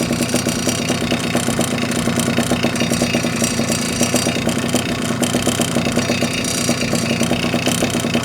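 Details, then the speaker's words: Puch Maxi moped with a large 70cc two-stroke cylinder idling while stationary, mic held to the cylinder: a fast tinny rattle and ringing from the fins, which lack damping rubbers that a big cylinder amplifies. "I take my microphone and now you can hear rattling. And now? You can hear that. So that's a bit of a problem with a big cylinder."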